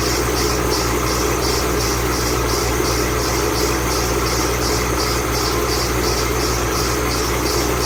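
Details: 2008 Ford Mustang Bullitt, 8-rib serpentine belt squealing at cold idle the morning after sitting overnight in the garage, under 30 miles driven: sharp high chirp pulsing about twice a second, belt slipping.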